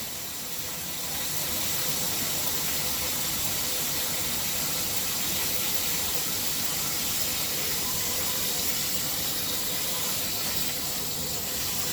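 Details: BougeRV portable propane on-demand water heater with warmer water fed into the inlet to test maximum output temperature: steady even rush of flowing water with soft hiss, no pops or sputters; heater running normally.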